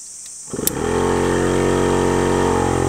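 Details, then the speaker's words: DIY solar-powered dam aerator pump after regulator output lowered to about 13.2 V (suspected too high, possibly overheating motor): pump kicks on into a strong, steady, even buzzing hum; runs properly. "That sounds a bit better. Um, a little bit stronger."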